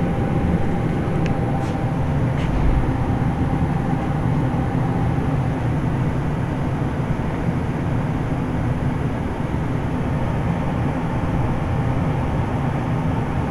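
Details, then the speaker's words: Carrier Infinity GreenSpeed 25VNA inverter heat pump outdoor unit ramping up in cool mode, same as in heat mode: deep low rumble, faint high tone, a couple of brief ticks; sounds odd at startup but this is normal. "it started up pretty much the same way it did in heat mode it sounds like there's something wrong with it when it starts up but that's how it's supposed to sound"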